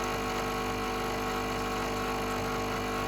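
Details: Home espresso machine pulling a shot after seven-second pre-infusion, targeting 28 in about 30 seconds: steady, even mechanical pump hum with no surging, rattle or strain; normal pump operation.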